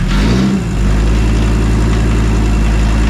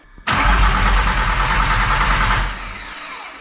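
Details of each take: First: VW T4 Caravelle Synchro 2.4D AAB diesel, first start after complete overhaul, air still in fuel line, oil topped up: deep steady diesel clatter holding an even beat as it takes throttle, healthy and smooth: normal running. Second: VW T4 Caravelle Synchro 2.4D AAB diesel, first start after a complete overhaul with only a short front exhaust pipe fitted; loud ragged clatter that sags, dies and catches unevenly because of lots of air in the fuel line.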